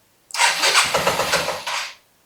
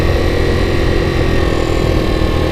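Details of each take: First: 1984 Yamaha Riva 180 scooter after carb cleaning and reassembly: single-cylinder engine catches for about two seconds with rough uneven buzzing, then dies; still very hard starting but now fires where before it didn't; owner suspects idle speed. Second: 1984 Yamaha Riva 180 scooter after cleaning and rebuild, air filter still needing replacement: small single-cylinder idles steadily with an even low putter, no misses or knocks; normal idle.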